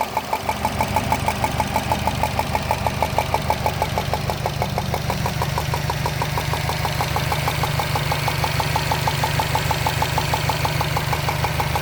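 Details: 2013 Subaru Impreza WRX at idle: sharp, even ticking about three per second, like a golf ball sliding around inside the engine, near the turbo. The source is not yet found.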